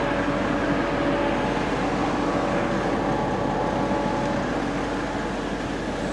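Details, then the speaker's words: Stock Mercedes W210 E300td diesel after fitting a 7.7mm EDC injection pump and a new water pump, before a dyno run. Steady, even idle with no knocks, only slightly more crackly than standard; normal idle. "it starts and listen to how it's running it's really smooth it's spooky it sounds like a standard car maybe just a slight little bit more crackly"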